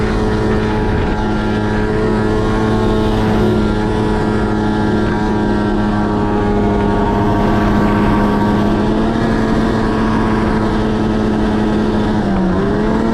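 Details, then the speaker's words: 2005 Arctic Cat F6 two-stroke snowmobile, never maintained beyond spark plugs, wouldn't exceed 70 km/h: held wide open with a flat, steady drone that never climbs into a rising scream; bogging below power band, owner suspects clutch. "Yeah, so if you guys can hear that, the sled sounds like absolute crap. I really don't know what's going on at this time. I think it's clutch,"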